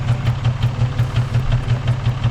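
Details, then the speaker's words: 2006 Nissan 350Z with a check engine light: lumpy idle with a deep, regular stumble about five to six times a second from a misfire on cylinder two, fixed by replacing the ignition coil. "it turns out we have a misfire on cylinder two so basically what we're going to be doing today is we're going to be fixing that take a listen [Music] that doesn't sound right"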